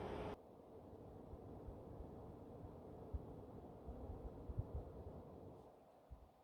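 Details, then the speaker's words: PS5 CFI-12 console with an NMB version 1 replacement cooling fan fitted, spinning about 900 rpm; soft, steady airy whoosh with no ticking, buzzing or grinding. Normal fan, much quieter than the slim's fan. "let's listen to it and now I can hear it from this distance but the slim was much much louder"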